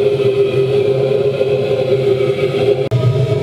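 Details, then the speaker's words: Waste-oil vaporising burner inside a metal drum shed heater; even unbroken roar with steady low hum, no surging or popping, stable flame: normal steady burner running. "you can see that's uh running very nicely entirely practical and completely boring"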